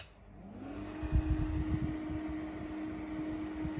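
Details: Intervent 4-inch (100 mm) white axial extractor fan with pullcord (NVF100P), restarted via isolator switch: hum climbs briefly on spin-up, then holds a steady, even mid-pitched drone with slight motor whine and a few handling bumps; fan runs normally.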